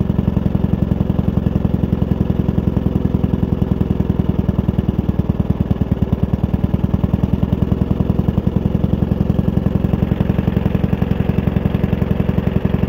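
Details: Suffolk Demon with a 75 G 14 motor, first start after a month of work and waiting for parts: small single-cylinder engine holds a quick, even, steady popping beat without stumbling or rattles; normal running.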